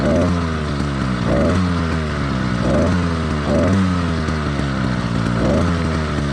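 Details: Two-stroke motorized bike engine in its warm-up phase after a cold choke start: uneven, blubbery note that misses and doubles up, four-stroking from rich running; common and expected for the first 5–10 minutes.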